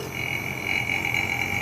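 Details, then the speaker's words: Inverter AC with E1 error, PCB under test at about 2 A load: a thin, steady, mouse-like chirp over a faint hum as the inverter compressor starts, which is normal for its function. "ठीक है। तो इसमें जो चूहे की आवाज़ आ रही है तो इसका फंक्शन ही ऐसा है।"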